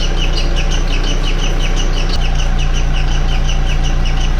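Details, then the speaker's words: MK4 Golf idling with the accessory belt removed and the timing cover off: a high chirp about twice a second that matches the left cam gear's rotation; camshaft or timing area suspected, not confirmed; squeak at cam gear speed. "but if you look closely the frequency of the squeak matches the frequency of the rotation of the cam gear you see that that left the left side"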